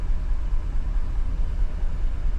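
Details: 2015 GMC Yukon, 6.2 V8, misfiring after refueling: low idle stumbles with uneven, lumpy pulses instead of a steady beat. Scan data shows cylinder 3 misfiring (P0300, P0303), with some history on cylinders 1, 4 and 7.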